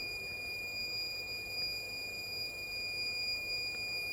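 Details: Dead Asus TUF FX506L laptop, short killer at up to 2.5 V, 3 A into the shorted main power rail: continuous high steady buzz while a spot near the memory reaches 56°C; short from a bad MOSFET.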